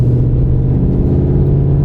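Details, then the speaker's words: Used Toyota Tundra V8 pulling steadily uphill: deep, even rumble with no knocks, misses or whine. Engine sounds healthy even though part of the emissions system reads 0 volts. "Excellent shape. And you gotta love the sound of that V8. Listen to that, baby. It's music to your ears."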